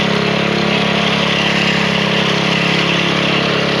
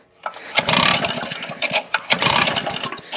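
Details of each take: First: Lawn edger single-cylinder engine after draining a few drops of old fuel from the fuel line: fired right up, steady even patter at constant speed with no misses or surging; stale fuel was the cause of the no-start. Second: Recoil-start small engine after five months stored: repeated pulls spin it with compression but it never fires despite a new spark plug and choking; old stale fuel in the line suspected.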